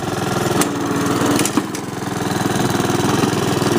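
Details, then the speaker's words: Honda HRX217 mower after repair of the right rear axle support, which the customer said was grinding. Tested in third or fourth gear: even single-cylinder putter at three to four beats a second, no grinding. Self-propelled drive normal, ready for the customer. "working great goals are working fine there's no law here no joke ain't kind of grinding sounds on there whatsoever now so it's working great and it's ready to go back to the customer here"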